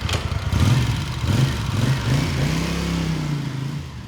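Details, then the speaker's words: 1982 Honda GL500 Silverwing twin: deep, steady engine note that climbs and settles smoothly with throttle, with no knocks or rattles; runs well and sounds healthy. "I'm going to fire it up, roll it out of here."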